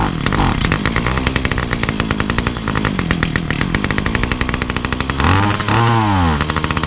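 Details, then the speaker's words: Titan multi-tool hedge cutter small two-stroke, cold start after priming, original carb before swapping a cheap replacement: buzzes unevenly and revs sag and stumble when throttle opens, cold or warm; bogs under throttle, cause suspected, not confirmed. "As soon as you try to give it the beans, it don't want to know. And it don't really want to know whether it's cold start, warm start, halfway, or anywhere."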